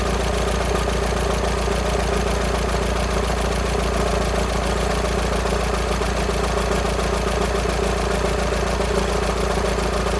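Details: VW Sharan 2.0 TDI CFFB common rail diesel, cold start after timing belt replacement and injector removal without bleeding: a steady idle with a fast, light metallic rattle of about 3–4 beats a second. Owner thinks it is the bad timing belt tensioner pulley, not the engine.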